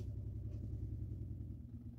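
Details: Van water pump switched on and running until the pipes are empty and it stops: low steady hum with a fast even buzz underneath and no faltering; the small 12-volt pump runs normally.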